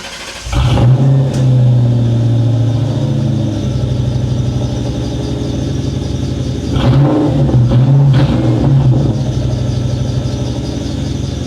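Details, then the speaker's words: 1997 Mustang GT V8 on first start after an SLP Loudmouth exhaust, BBK X-pipe and K&N cold air intake: loud burbly idle with strong intake sucking and a faint, steady high squeal from the belt tensioner pulley. "Well, you can really hear it sucking air now. You can also hear that squeaky tensioner pulley."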